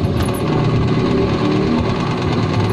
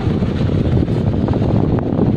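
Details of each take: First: Noisy stand fan running slowly gives a rough scraping rumble; repairer suspects the capacitor and says it needs oil, consistent with a dry rear motor bushing. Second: Stand fan brought in for being noisy and slow, cleaned and reassembled, then tested: steady low hum and whoosh of strong airflow with no rattle or scraping; fan now spins freely and runs normally.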